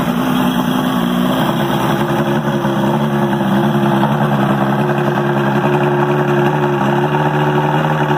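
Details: 1978 Johnson Evinrude V4 115 outboard, first start in a couple of years after carb job and fuel system drain and flush, primer-started (no choke); steady even idle with smooth burble, no misses or knocks; compression 120 on all four cylinders; running normally.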